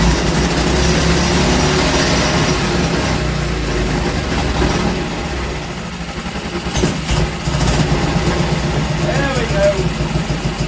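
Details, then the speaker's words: Small Villiers single-cylinder engine running loose on the workshop floor, not bolted down: steady even low thump with loose chatter from the engine bouncing around; runs well. "all right wow there we go she runs and she seems to run very well if I sounded a bit naughty it's because it was chattering and bouncing around on the on the workshop floor"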